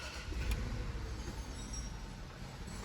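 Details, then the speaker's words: Range Rover after installing the water pump and reservoir, fan off. Steady, low, quiet idle with no rasp; earlier it sounded like a chainsaw. A little motor noise is thought to come from old oil in the timing chain. Normal idle. "listen to how quiet that is i don't know if you guys remember when we first had it running it sounded like a chainsaw"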